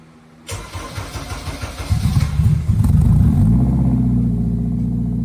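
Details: Turbo K20 (K20A2) swapped EG hatch, first start after fabricating a new downpipe: starter cranks briefly, engine catches and blips up, then settles into a steady, even idle with a deep exhaust note; normal.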